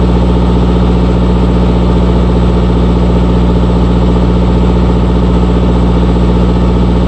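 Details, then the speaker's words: RigMaster APU diesel generator after fixing an open circuit at the fuel solenoid connection that caused failed-to-start; idles with a steady, even chug at unchanging speed, no misses, knocks or hunting. Normal idle. "Always check the connections. I've been fiddling around with this for 2 days, and finally stumbled upon the problem."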